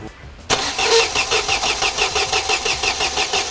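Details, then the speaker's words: Mercedes-Benz W124, late 1995, long dead and rotted: steady starter cranking about three pulses a second that never catches; crank no start, fuel pump priming sound at key-on reportedly gone now, cause unknown. "That`s enough. It`s dead."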